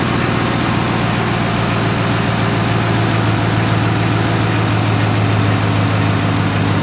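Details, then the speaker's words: 2017 Chevrolet Silverado 5.3L V8, 88k miles, idling: light rapid tick like a quieter lifter tick, louder on cold starts, loudest at the driver-side fender well; stethoscope traced it to the brake vacuum pump, which was replaced. "all it has is a pretty annoying tick sound sounds like lifter tick just a little bit lighter"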